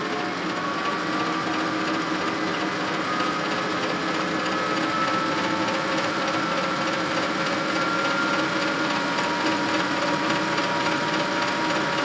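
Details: Old Rockwell lathe returned to service, quick-change gearbox on highest setting: steady motor hum with uneven clatter from the Reeves variable-speed drive.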